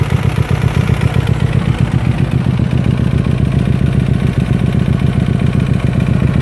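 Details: Hyosung GT250R idling with a fast, uneven metallic bottom-end knock over the low thrum; engine knock from being ridden with no engine oil.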